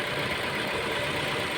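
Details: Mazda 6 with 65,000 on the odometer, now starting after a no-crank, no-start, no-power fault traced to the steering lock: short steady run with a hissy top end, no misses, knocks or hunting; even, healthy idle.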